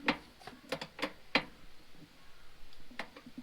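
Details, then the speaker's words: 1942 Farmall H tractor transmission, gears worked by hand with shift lever in first and pulled back: irregular sharp metallic clicks about one per second; owner suspects first gear hitting reverse idler; stiff shifting from reverse. "first gear, like if the shift lever's in first gear and if I pull back on it, you can hear gears grinding. So it's got to be hitting the reverse idler when I pull back on it."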